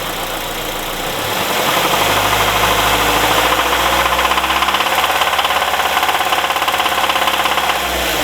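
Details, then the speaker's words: Warm 1999 Nissan Presage KA24 petrol engine, heater fan off: deep, fairly regular knock as throttle is released after revving; connecting rod bearings failed from oil starvation due to bent oil pan; timing chains, tensioners, guides, sprockets new. "Так ну двигатель прогретый практически печка на выключить печку шумит вот такой звук у нас Когда газ брас"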